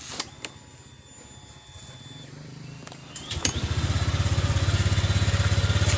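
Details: Honda Vario 125 LED scooter after CVT repair for lack of power and rough CVT noise: starts and revs with an even steady low beat, clean at low and mid revs, no rattle or grind from the belt drive.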